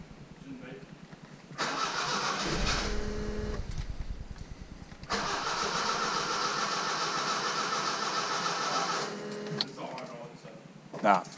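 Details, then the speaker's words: Datsun 620 with newly installed Megasquirt fuel and spark (modified Suzuki distributor with trigger wheel, two Subaru injectors, GM air intake sensor): cranking catches in a short burst of rough firing that dies away, likely leftover leaked fuel burning off. "that was probably the bit of fuel that we had that leaked to start with"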